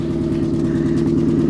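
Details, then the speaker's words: Infiniti FX45, Nissan V8, at a salvage auction, listed as a non-runner but runs; idle has a lumpy, regularly interrupted beat with a dropped pulse repeating, a misfire at idle. "yeah she's definitely got a misfire she's definitely got a misfire but you know a beater with a heater maybe not too bad"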